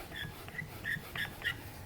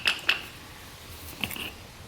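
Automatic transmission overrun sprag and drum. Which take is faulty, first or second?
second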